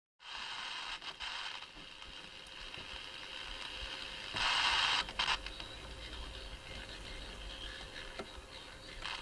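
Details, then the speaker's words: Eddystone EC10 radio receiver, first power-up: harsh hissy gritty distorted output with buzzy burst; owner suspects a faulty transistor, probing output transistors, cause unconfirmed. "right it's very very horrible sounding just turn that off in case that's beating with it you can hear it can't you oh that's distorted it sounds terrible sounds appalling"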